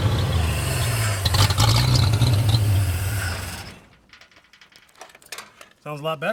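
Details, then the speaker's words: 1937 Chevy with Chevy 250 six-cylinder, five-speed, timing adjusted as far as the distributor allows, low oil pressure from leak; loud even roar with steady deep rumble that fades: normal running. "but yeah it runs it sounds pretty good it's loud sounds like the timing's a little bit out but"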